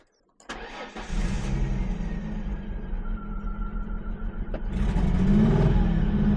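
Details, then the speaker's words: 2004 Ford Mustang sitting in desert, cranked with starter fluid sprayed in intake: steady starter cranking about four beats a second without catching; seems to be missing fuel, fuel pump suspected, may require tank drop. "Yeah, I think it's uh seems like it's missing fuel, huh?"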